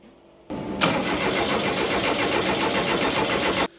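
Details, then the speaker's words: 1971 VW beach buggy build with an ECU, first start attempt with no throttle response from the pedal. Steady starter churn about four turns a second for three seconds, no catch; cranks but won't start, owners suspect missing fuel pressure. "It's just, I can hear it doing it. it's trying to do a thing. Why is that throttle not telling it to do a thing?"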